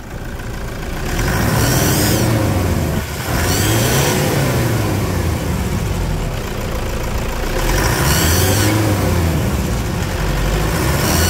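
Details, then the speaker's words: Whistling whine rising and falling with each rev over the diesel roar of a Toyota Hilux 3.0, after injector repair, tank cleaning and decarbonization; the turbo was worked on elsewhere and is noisy, and the customer will take it back there. "sinistraço esse barulho aí na turbina não é mesmo"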